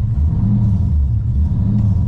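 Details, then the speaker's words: LS V8-swapped Nissan 240SX S13 on its first drive: deep V8 idle rising and falling every second or so, a surge that appears once it warms up a little; fine on cold start, gone in gear. Owner notes it also idles high, cause unconfirmed. "as you can tell once it warms up just a little bit it's got this crazy surge to it hear that when you start it up at when it's cold it's fine"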